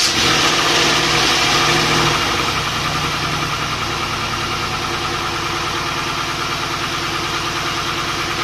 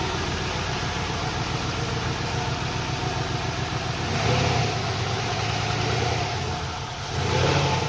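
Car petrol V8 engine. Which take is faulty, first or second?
first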